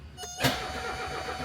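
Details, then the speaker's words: 1978 Mercedes 300CD with a swapped-in 1984 OM617 turbo diesel and a new injection pump without a primer pump: the starter cranks with a steady whirring drone but it never catches; air in the fuel system. "is there too much air in the system right now yep and diesels are not well known for getting primed again very easily crank it give her a crank"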